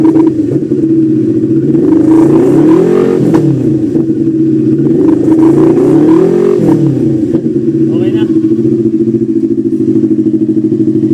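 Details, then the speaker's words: NK400 motorcycle after replacing burnt stator: steady, even engine beat with two clean revs rising and settling smoothly, no knocks or misses; charging now 14.8 V, up from dropping to 9–10 V before repair. "Yan, okay na siya. Nagpo-14.8 na, 14.8 na. Okay na yung charging niya."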